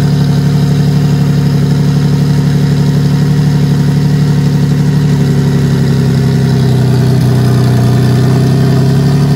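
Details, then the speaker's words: Nissan 350Z single-turbo VQ35DET (Garrett T04E, 10psi tune, hood-exit open dump and wastegate), after thermostat swap: deep steady idle with even low pulse, no knocks or rattles; running cleanly. "i'm about to throw it back and start the car for you guys so you can hear what that uh hood exit open dump open waste vq35de turbo sounds like"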